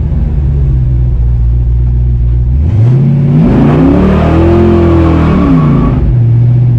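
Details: Stock Chevy 350 Vortec V8 with added camshaft and valve springs, after adding four gallons of 93 octane to 87 that caused pinging, on a test drive: deep rumble climbing smoothly under throttle, then settling, no sharp pinging rattle; normal acceleration without detonation.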